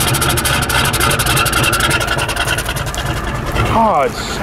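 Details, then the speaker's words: 1990 Ford F-Superduty with a naturally aspirated 7.3 IDI diesel, running after a hard start on starting fluid, with white smoke: an uneven, lumpy, weak idle with stumbling beats and poor throttle response, a sign of a failing injection pump. "there you go sign number three a rough running engine so now you got everything you got the hard start the white smoke and the rough running it'll also sound weak like really weak like soy boy"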